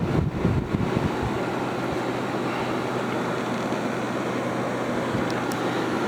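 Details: Haier ESA410J-RGB 10,000 BTU window AC cooling, with ice-cold airflow and the condenser fan at about 1450 RPM at the back: steady even rush of air, smooth low hum, no rattles or knocks; normal cooling operation.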